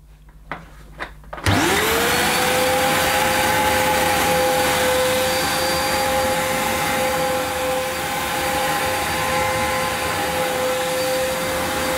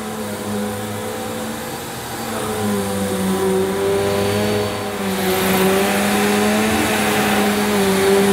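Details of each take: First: Electrolux Cyclonic Lite bagless upright, circa-2005 model new in the box, first run on carpet: a steady high motor whine without the expected agitator growl, plus a burning smell; owner suspects the belt needs replacing. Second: Electrolux Cyclonic Lite bagless upright vacuum (circa 2005, new in box) on its shortest setting, pushed over dirty carpet: a steady motor hum with a clear brushroll whirr; it runs normally. Owner thinks the cyclonic unit was not seated properly during an earlier, quieter run.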